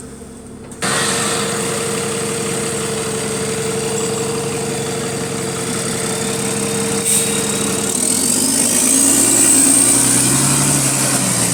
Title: Exhaust Leak | GAL E210 On Bus Route 89 (3)